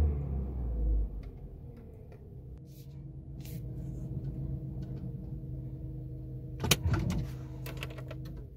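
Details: VW Jetta A4/MK4 after fixing an intermittent no-start: low, steady, even idle hum with no misses, stumbles or surging; check engine light cleared on its own after about 10 starts.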